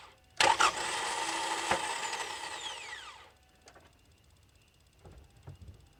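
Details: 2.4L Kia Sorento / Hyundai Santa Fe 2010-2013 or Sonata 2009-2013; sharp engage click then high free-spinning whir winding down over three seconds, engine not turning: starter spins without cranking, most likely failed solenoid-to-pinion lever.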